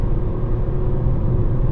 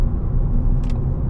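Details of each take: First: 2014 Ford Fiesta Ambiente 1.4 Duratec, owned 10 years, cruising on the old tyres before they are replaced with Radar Dimax Sprint: a constant low droning road roar, reference tyre noise. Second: 2014 Ford Fiesta Ambiente 1.4 Duratec cruising on newly fitted Radar Dimax Sprint tyres: a smooth, even low road rumble with no woo-woo throb, unlike the old tyres; quiet, normal tyre noise.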